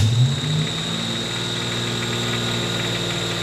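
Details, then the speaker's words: Buick Grand National, cold start with high idle: drive belt screaming again despite earlier new belt; cracked tensioner causing belt squeal. "All right, it's got a it's got quite the high idle when you first fire it up. The belt is screaming again. We had that fixed with a new belt uh when we first bought it."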